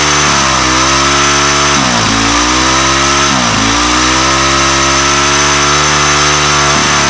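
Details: Weathered 29cc four-stroke Craftsman Speed Start curved-shaft trimmer, run after checking the oil level, suspected oil leak: fast, steady buzz with brief dips and recoveries, never settling to a low idle; idle speed set too high.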